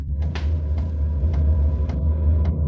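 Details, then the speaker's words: Diesel air heater just after preheat and ignition, run from a power station; steady low hum with soft clicks about twice a second from the fuel dosing pump, slight combustion noise, fan running smoothly; normal operation. "And yes, you can also hear a slight combustion noise. And the fan, yes, is running nice and easy."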